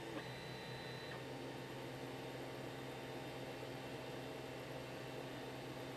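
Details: 3D printer after adding stepper motor dampeners to X and Y axes: low steady hum, faint even whine, no rattle or resonance; quite a drop in sound versus before.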